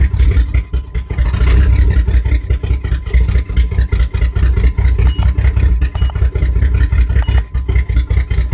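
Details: 1997 Jimmy misfiring while live data is read: deep exhaust note with irregular dips and stumbles breaking the rhythm. Engine misfire, cause not yet pinned down.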